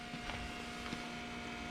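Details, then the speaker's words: Supercharged Toyota Tundra, key on with engine off: faint steady electric hum at an even pitch. The water-to-air heat exchanger intercooler pump is running normally. "the heat exchanger water air intercooler pump running that's that noise"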